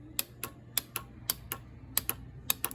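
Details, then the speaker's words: Kids' Chinese 110 ATV, battery connected, brake held for kill switch: sharp dry solenoid clicks, often in quick pairs, about three a second, with no cranking; owner weighs bad solenoid, starter or wire. "so I hear activity out of my starter solenoid. One of two things either wrong here, obviously. You can literally still have a bad solenoid even though it's clicking."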